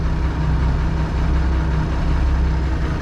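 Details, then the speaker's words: Tractor diesel (8959.6 hours) idling after a start from not fully warm, once oil pressure comes up; deep, even rumble with no knocks or misses, runs nice — normal idle. "I can pick up the RPM a bit. It runs nice, this tractor. I'll shut it off."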